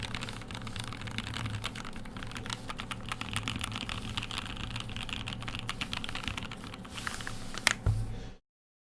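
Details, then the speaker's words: E6 V2 keyboard build with lubed Telio linear switches: quick, even, muted clacks with no scratch, ping or rattle; linear switches typing smoothly and healthy. "Sounds good, feels good because they're Telios. I mean, if your thing is lubed linears, I mean, almost doesn't get better than lubed Telios."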